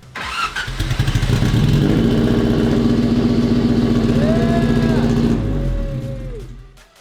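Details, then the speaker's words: Fake F1 car: cranks, catches and runs with a steady drone for about four seconds, then cuts out and winds down; starts but won't keep running. "It's firing. Very great for a good 4 seconds. This is the most typical rad factory thing ever."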